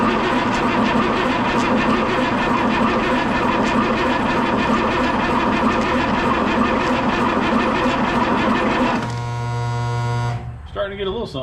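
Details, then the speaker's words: M35A2 truck during a start attempt: long steady grinding crank at about three beats a second that never catches, then stops with a starter whir; no fuel reaching the rail yet, batteries getting tired. "mm-hmm our batteries are getting tired though we got two more over there if we need them"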